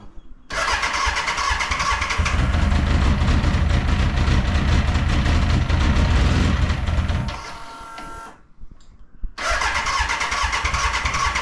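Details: BMW K100 café racer, freshly reassembled: the engine runs with a low uneven beat, then cuts out and won't restart until it has sat for about an hour; cause unknown, owner plans to check wiring and fuel fittings.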